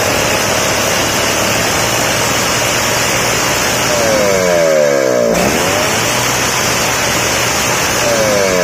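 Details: Two-stroke engine after carburetor idle and mixture needle adjustment for a crisp, dry sound: revs up and settles cleanly without bogging or sputtering, running properly.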